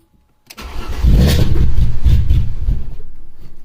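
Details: Alfa Romeo 156 2.5 V6: cranks briefly, catches with rough surge, revs sag and it dies within seconds; start-and-stall caused by intake air leak from loose runners, fixed by tightening intake runners to the cylinder head.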